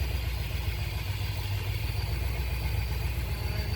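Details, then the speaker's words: 1976 C3 Corvette V8 running after a carb rebuild and cleaning, with no leaks: a deep, even burble with a steady low pulse and no misses or rattles; it runs clean and strong. "After a carb rebuild and a little bit of cleaning all around. Looks good, sounds good, nice and clean, running really well."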